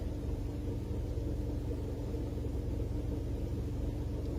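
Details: Engine idle with a deep steady growl and no ticking. Three shops blamed the serpentine belt tensioner, but replacing it did not stop the noise; the water pump was the culprit.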